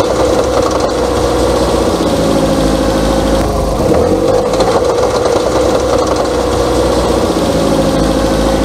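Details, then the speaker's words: Car running with a fast, busy clicking rattle, often mistaken for the engine, caused by a worn outer CV joint. "acabamos de escuchar el primer sonido que muchas veces le llamamos cascabeleo, pero en realidad es cuando está mala la punta de flecha, que se escucha como un cascabeleo que a veces pensamos que puede ser el motor u otras cosas"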